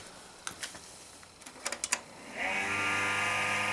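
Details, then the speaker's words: Compaq Presario SR5123WM desktop at power-on: a few clicks, then a fan spins up into a steady rough, raspy grinding whir. Owner is unsure whether it is the CPU or case fan, thinks not the power supply. "Oh, grinding fan."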